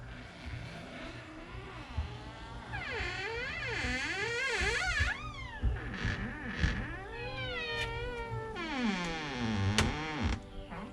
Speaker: Now, how many of you have a door that sounds something about like this?